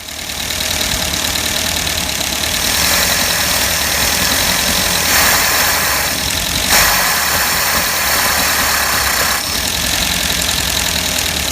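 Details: Max the van, engine just rebuilt and timing readjusted: light, uneven tapping of three or four knocks a second over a steady idle; knock from inside the rebuilt engine, things not looking great.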